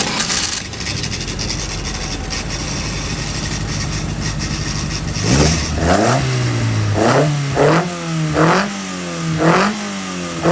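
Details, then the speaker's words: 1120cc engine (12:1 compression, small big-end pin) in the dyno room: steady idle, then sharp blips rising and falling cleanly about once a second, picking up crisply with no misses or knocks; normal throttle response. "I've got to say I'm really happy with the 1120 it picks up lovely I think it's going to be strong"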